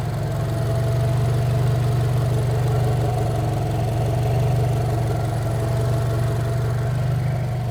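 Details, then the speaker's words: New-generation Subaru BRZ with freshly installed bolt-on turbo kit, first cold start: low, even hum with a steady pulse, no knocks or ticks, smooth idle, no check engine light; normal idle. "so yeah everything is working no check engine light"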